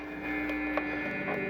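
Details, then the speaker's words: Chinese-made Hofner violin hollow body electric guitar plugged into an amp after fret work: steady low hum with a thin high buzz, unchanged even when holding the strings; noisy pickup circuit expected to go away with shielding, not confirmed. "uh see even when it's up like there's so much of that noise even when you're holding on it's still just it's just noisy that that'll go away with shielding"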